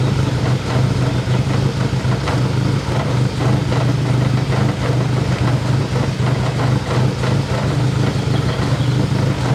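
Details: First start of a K24-swapped BMW E30: a low, uneven, shaky idle with irregular stumbles that sounds like a misfire. Cause not yet pinned down; the injectors are to be replaced.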